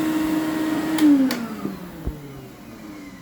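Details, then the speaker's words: Electrolux Epic 6500 canister vacuum, about 21 years old, after replacing a motor whose bearing had failed: a smooth, even motor whine with no bearing screech, then a clean spin-down when switched off, like new. "No bearing screech, no screech from the bearing, and it's just like new."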